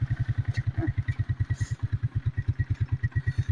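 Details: 1992 Suzuki King Quad 300 warming up, choke about to come off, carburetor idle adjusted by hand: steady single-cylinder thump at about eight beats a second with no misses or knocks; healthy idle.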